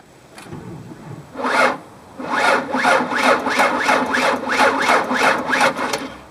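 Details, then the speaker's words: Car that won't start, battery about 7 years old: starter drags engine over in slow labored pulses about three a second without catching, lugging; weak battery suspected. "Now I think you could hear that my battery definitely sounds low."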